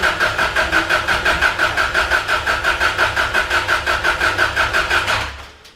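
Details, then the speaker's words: First start, cam sensor unplugged to prevent firing: even starter cranking about three beats per second, steady and unbroken, never catching; spun over to build oil pressure, normal cranking. "First thing, usual, what I always do, pull the cam sensor off and spin it over so we've got oil pressure, and then we're not starting it up with no protection there at all."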